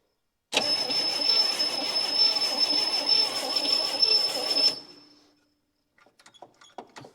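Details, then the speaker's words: 1959 Chevy Biscayne 6-cylinder, freshly freed from a seized state after about 20 years stored, cranked on a starter button with points on and a load of gas: high, thin starter whine for about four seconds, no firing, then it cuts out. Starter kicking out; owner suspects the starter. "that ain't good starter is kicking out"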